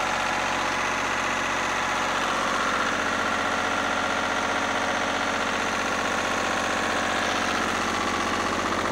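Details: Lister single-cylinder diesel generator (#2), run after plumbing a new fuel system from the converted 20-gallon former oil tank and fixing leaks: steady, even thump at about four beats a second with no misses; idles healthy, with no drips.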